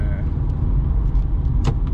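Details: BMW 123d E81 N47 diesel idling after timing chain and tensioner replacement: deep even idle, steady low rumble, no high buzzing or chatter; normal idle.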